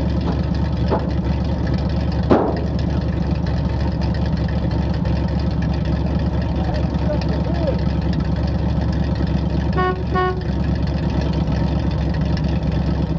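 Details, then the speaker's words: 1968 Chevrolet C60 farm flatbed truck, 327 V8 with two-barrel carb, headers and glass packs, four-speed: deep, loose, throbbing idle with heavy low rumble through the open exhaust. "it's got headers and glass packs on 327 and a two barrel"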